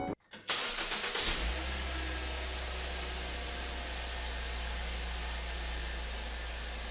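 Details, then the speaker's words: 2009 Ford Focus, 115,000 miles, cold start: high thin squeal over idle, rotating with engine speed and fading as it warms; owner suspects glazed, slipping serpentine belt, to be replaced. "whenever the car turns on and it's cold uh there's a squeaking you can hear it goes with the rotation of the engine um but as the car warms up starts to go away"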